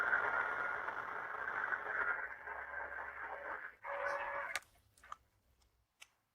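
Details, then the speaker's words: Pool leak detection with a listening kit: steady hiss with a faint thin whistle from water escaping a pressurized pool return line, heard directly above the leak under the deck; a pressurized pipe leak. "donc voilà le son de la fuite réelle vous allez voir exactement à quelle distance"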